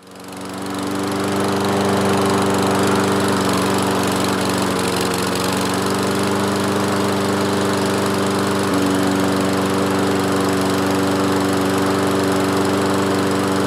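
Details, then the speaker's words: Toro Recycler 22-inch mower, single-cylinder Kohler, after repair, warming up: steady even drone with a slight pitch change as the muffler-heated automatic choke opens; runs very nicely once fully open, though it opens a bit late; normal running. "yeah so uh as the engine heats up this choke this automatic choke opens up and when it opened fully it was running really really nice I'm happy about that"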